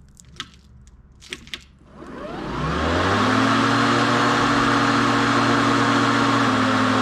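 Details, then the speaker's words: Ryobi One+ 18V cordless tool run on a battery at one bar until completely flat. The motor hums steadily, then its pitch sags and the whir weakens as performance dies. "So as you see, we've got 1 bar. I'm going to hold it and you'll hear the sound change as it dies in performance."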